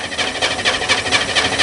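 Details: Corvair-engined Spyder cold-start attempt in rain with electric fuel pump: steady rhythmic starter churn, about four even pulses a second. Engine turns over but never catches, fuel smell present; cranks without starting.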